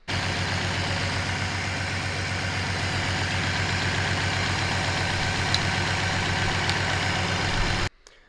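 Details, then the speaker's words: BMW E36 turbo after an engine bay fire and a new wiring harness, idling unevenly with a dull recurring stumble; a cylinder 2 misfire not caused by plug or coil, traced to a fire-fried ECU. "But it was still misfiring. So I was trying to figure out what was going on."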